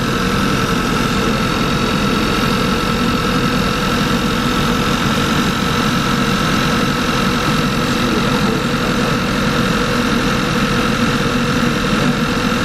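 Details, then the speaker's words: Audi A4 B8 TSI at start-up with heavy white smoke and a raw-fuel smell: steady idle with an uneven, shaky beat and lumpy rumble. Cylinder 1, 2 and random multiple misfire codes; a bad injector is suspected, and an engine mount is also bad. "you got so much white smoke that smell like a lot of fuel foreign"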